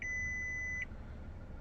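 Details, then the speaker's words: Mazda3 2.0 Skyactiv-G SE-L, 12,369 miles, reversing: a steady high beep from the rear parking sensors that becomes more continuous closer to an object. Normal parking sensor operation. "and it's got parking sensors this vehicle uh so the closer we you can hear that beeping the closer you get to an object the more continuous the beat becomes"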